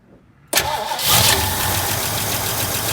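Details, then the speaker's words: 1968 Mustang, sitting 8 years, new battery, fuel poured into carb: starter cranks, engine catches briefly then runs raggedly and won't start cleanly; owner suspects fuel pump not pumping or carb without fuel. "So maybe my fuel pump isn't pumping fuel, guys. Or that carb doesn't have fuel in it."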